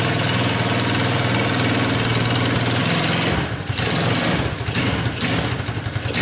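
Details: Tao Motors Chinese mini quad that wouldn't start, now running on a jump pack after its battery was found dead. The small engine catches and settles into a steady, busy run, a little uneven as the throttle moves, with no knocks. Normal running.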